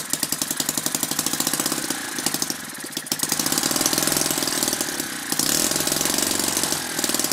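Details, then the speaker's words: Lynx 15 small engine on two-stroke mix, smoking, after fixing the tank pickup tube air leak, compression much higher: quick, even, crisp firing with no misses or knocks; starts easily and runs cleanly. "just filling the room out with smoke now cuz running it on two stroke mixture can't complain about the way it starts now"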